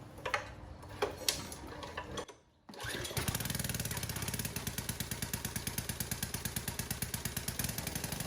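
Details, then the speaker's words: Pressure washer, fresh fuel, choke on: fires after a couple pulls into a steady even beat, engine runs fine; pump makes no pressure, leaks at weep holes, probably cracked over winter. "Well, that thing fired right up. It runs awesome."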